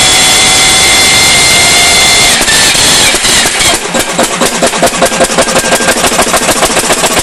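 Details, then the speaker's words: Powerline Lister single-cylinder diesel after the fuel system was drained and refilled with fresh fuel and the lines cleared: uneven thudding at about 3.5 beats a second, rougher than before and rough from start-up; owner suspects the injector pump or injector. "a I don't know it's not any better matter of fact it's worse used to start smooth and run rough and now it pretty much just runs as you see pretty rough right from the get-go"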